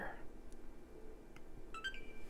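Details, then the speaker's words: Xbox One S, apparently water-damaged, no-power repair: after 5V rail confirmed solid, power button pressed; brief electronic chirp then thin steady tone as it stays on, display output not yet known. "we turn on and we stay on hmm what are the chances we got a picture"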